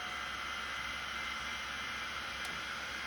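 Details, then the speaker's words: Vintage IDE 5.25-inch hard drive with iron oxide platters, restarted after passing seek test: steady high whine, spindle spinning too fast; speed returns to normal when the head moves; servo fault suspected. "Okay, let's restart it without doing anything. And yeah, it's going too fast again."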